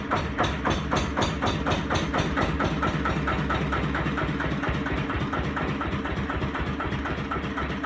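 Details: 1936 Lister CS 5/1 single-cylinder engine, engine number 15699, rated 600 rpm, running briefly after a rebuild. Slow, even thump at roughly four to five beats a second, with no knocks or misses; normal running.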